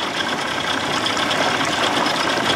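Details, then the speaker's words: 1979 Evinrude 55 hp outboard in neutral, original carb refitted, reeds and compression checked: a raspy, racing idle far above normal tick-over; high idle surge persists, owner suspects float needle not seating and sucking gas. "i can tell by that noise float needle not seating sucking gas o"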